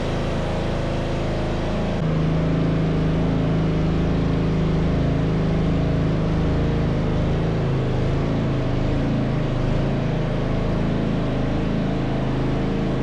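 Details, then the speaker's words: Yard Machines (MTD) riding mower with 13.5 hp Tecumseh engine, poorly maintained, with the starter found to be the fault: it catches quickly and settles into a steady, even drone with no misses or knocks; compression fault feared but not needed, runs properly. "Success! It was a starter all along. I was afraid it was going to be that compression thing on inside the engine, but thank God we didn't have to go through that. I'm happy. I like that sound."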